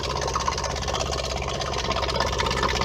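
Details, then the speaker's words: Whale FP0184 Watermaster water pump in a 16-month-old Bailey motorhome, reassembled after no-flow fault following winter drain-down: steady motor buzz with slight gurgle while priming and drawing water; normal running. "and you can hear the pump running now bit of a gurgling sound but"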